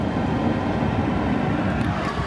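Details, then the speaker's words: AC unit newly installed in a bus conversion running with a steady, even low air rush and the compressor going, with no knocks or squeals; venting out through a 4-inch pipe; working normally. "Sweet, I think we have air conditioning."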